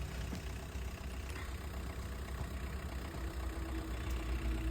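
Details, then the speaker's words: Super AC diesel after engine rebuild (connecting rod problem, worn pistons, failed rings, head complaint, new hoses and pipes): steady smooth idle, no misses, knocks, hunting or smoke; normal idle. "ಗಾಡಿ starting ಇದೆ, ಸೌಂಡೂ smooth ಇದೆ, ಏನೂ missing ಏನೂ ಇಲ್ಲ."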